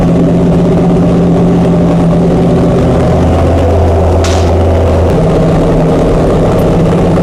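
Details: Chrysler 440 Six Pack V8 with triple two-barrel carburettors, after replacing a damaged centre-carb gasket beside the power valve: deep, steady idle holding an even note with no stumble or hunting; idling cleanly.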